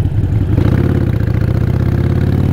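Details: Motorcycle after downshifting from fifth, which lugged and sounded terrible, to a suitable gear (second): engine pulls with a steady, even low thrum and no lugging or shudder.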